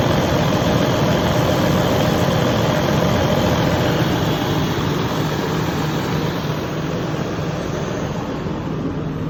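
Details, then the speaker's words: Detroit DD15 diesel at 900 rpm on cruise control after replacing all six injectors with OEM (cracked #2 injector pushed compression into return line, aerating fuel): steady even drone, no pinging or chirp; fixed, normal running. "as you guys can see the noise went away there's no more pinging noise so yeah the fix was the injectors"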